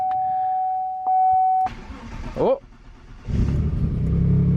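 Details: Cadillac after push-button start install wired from battery to the purple starter wire: key-on chime, short crank, then engine catches and settles into a low even idle; normal start.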